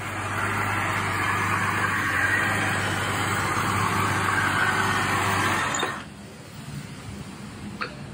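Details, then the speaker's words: Old six-cylinder diesel Mercedes-Benz idling after first start following long storage: steady, even idle with smooth low hum, no misses or knocks, then shut off; running really good, normal idle. "It sounds like it's really running good."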